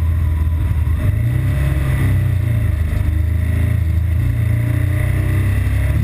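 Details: BMW R1200GS Adventure boxer twin in traffic after a 20-mile A-road run, lumpy beat stumbling and wavering, close to stalling; intermittent rough running and stalling fault.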